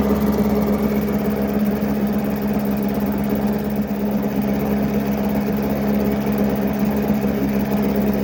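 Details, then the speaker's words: Steady, even buzzing run from a likely 1980s Mercury 7.5 hp long-shaft two-stroke outboard, first start after 20–30 years stored; runs cleanly in this stretch, though it later misses and the water pump outlet weakens, impeller due. "it's pretty hard to argue with that first like 15 seconds of run time in 20 25 years"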